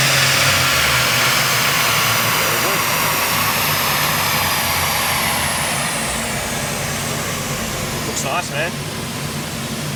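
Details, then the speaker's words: Subaru Levorg with built H6 engine, Haltech ECU, downsized turbo, wide open throttle dyno run making 320 kW; loud hard-pulling roar with high turbo whistle sliding down as revs fall; strong and clean. "but motor sounds Hees better with the top T yeah it does wide open throttle let it [Music]"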